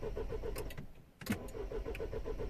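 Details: 2010 Mini Cooper S 1.6 N14, non-runner: starter cranks evenly about eight beats a second, pauses, cranks again, never catches; no crank or cam sensor signal reaching DME, very low fuel pressure while cranking.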